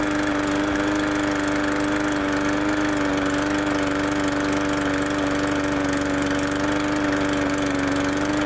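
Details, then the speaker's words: MTD push lawnmower, cold start after a season unused with the carburetor not drained and overflowing: steady high pitch with a slightly uneven, lumpy beat; running rough, carburetor issues suspected. "well it fire it up but as you can probably tell it's got some carburetor issues might have to look into it just a little bit here"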